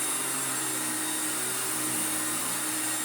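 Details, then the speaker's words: Old Electrolux Glider vacuum, heavily used, brush roll needing replacement, first power-up on floor setting 2; steady motor whine with airflow hiss, brush beating carpet, even pitch, no rattles or grinding; normal running. "Good. I can hear the airflow. I can hear it trying to beat the carpet."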